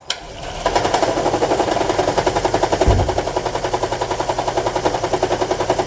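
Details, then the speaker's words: Toyota Estima Hybrid 2AZ-FXE 2.4L idles with a heavy shake, uneven chuffing stumble of three to four pulses a second; random multi-cylinder misfire with seven stored codes, after about 4.5 litres of oil top-up and a long drive. "okay as you can see the engine is heavily shaking"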